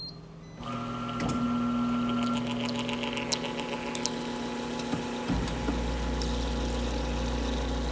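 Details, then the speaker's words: Carpigiani soft serve machine after a pump check, tube reconnected and cylinder primed with mix, back in production: steady motor hum and even mechanical ticking, with no knocking or squeal. Normal running. "with our cylinder primed, we now have a fully functioning machine with no sounds other than the ones they're supposed to make."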